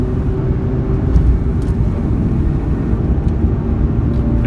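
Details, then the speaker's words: Mazda RX-8 road test after a quick fix for a bad hub bearing: even tyre and road rumble at 40–60 mph with no growl or hum rising with speed; the previous 40–60 mph road noise and vibration are gone. "it seems like the issues fixed so don't feel any vibration or wobble anywhere"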